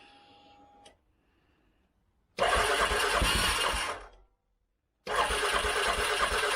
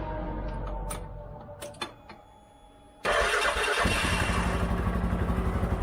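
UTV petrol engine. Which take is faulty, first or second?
second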